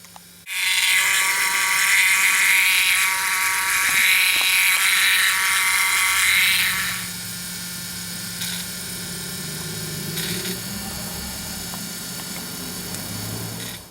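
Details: Old Volvo 740 after replacing the fuel filter: loud steady high whine drops sharply to a much quieter hum; old main fuel pump noisy before, quieter after, engine runs fine but pump will need replacing.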